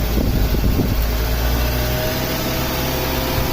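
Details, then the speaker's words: 1998 Mazda Protege 1.5L with idle surge, a stuck MAF voltage and emissions monitors not setting, MAF sensor connected: steady, fast idle that never drops back down, with the throttle body stop found adjusted so the blade does not fully close; high idle. "yeah I got the mass airflow sensor on of a high idol"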